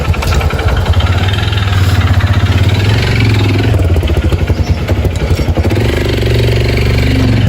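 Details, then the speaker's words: Motorcycle with engine noise and oil loss, run before teardown to check whether it is the connecting rod: steady thumping idle with a rhythmic knock on each firing pulse; worn piston and cylinder. "Ó o barulhinho, hein? Vamos bora ver se é biela ou não é, hein?"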